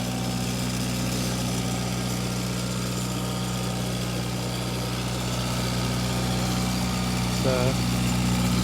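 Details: Late-1940s or early-1950s Kohler 4-cylinder generator, believed gas-powered, used to power the owner's house: an even, low, firm drone at steady speed with no misses, knocks or surging; normal smooth running.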